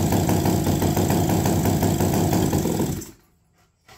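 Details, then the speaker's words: Mini chopper two-stroke run with no exhaust fitted: loud, choppy putter of about four beats a second, then it cuts out abruptly; starts then stalls, owner says it is flooding badly, possibly a wrong carburetor diaphragm or oversized button. "okay so it's reacting to that nope so this thing is flooding out like crazy"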